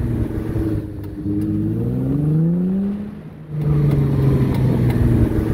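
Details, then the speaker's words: Car moving with a suspected damaged CV joint (play felt by hand): a low droning hum that rises in pitch with speed, usually heard when the steering wheel is at full lock while moving. "cuando el auto va avanzando usualmente suena cuando giras totalmente el volante y el auto avanza a veces también entre más rápido vaya se puede escuchar un zumbido como"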